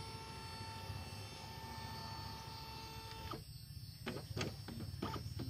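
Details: Epson L565 printer: steady motor whir with faint high tones, then a run of sharp even clicks as paper feeds; runs cleanly with no grinding, normal printing.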